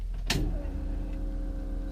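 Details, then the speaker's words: 1997 Honda Civic EK with a new Walbro 255 lph fuel pump replacing the original: at key-on a single click, then a steady, even low hum from the tank. Normal priming that sounds heavy-duty. "the pump priming back there it sounds like a heavy-duty pump to me"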